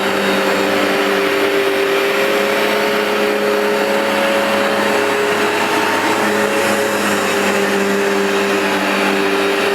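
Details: New replacement Vax Dual Power Total Home carpet washer on a very dirty new rug, producing lots of foam: steady high motor whine with soft beating sweep of the dual brush bars grooming the pile; normal running.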